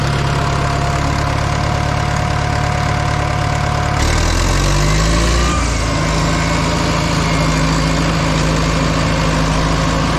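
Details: Caterpillar 955L track loader diesel, sat unused for years, just started on old fuel: steady low idle with even beat, settling after about four seconds and running smooth, no knocks or misses; normal idle.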